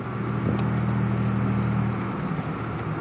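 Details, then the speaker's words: Mazda 626 first drive after new wheel bearing and alignment; steady even road hum, no grinding or rhythmic rumble, no shaking, wheel bearing now healthy. "wow it is so smooth I don't know if you guys could ever hear it but in my old videos you can hear this bad grinding and it's just so smooth now nothing shakes this"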